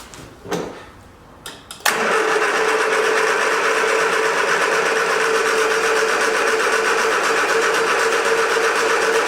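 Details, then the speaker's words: 1979 Triumph Spitfire with starting fluid sprayed at the carb: steady cranking about four beats a second that never fires. No fuel came out with the fuel line off; owner thinks the pump isn't pumping and will probably replace it. "yeah we got no fuel so i don't think the fuel pump is working like it's supposed to so probably gonna have to end up replacing the fuel pump"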